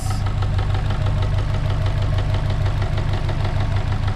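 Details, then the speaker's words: Subaru 2.5 with 450,000 km at idle: sharp regular knock about three per second, loud on the timing cover and silent on the block where rod knock would be; failed, leaking timing belt tensioner. "you put it on the timing cover it's loud as hell you put it on the block where a rod knock would be loud it's silent so something in the timing cover has failed"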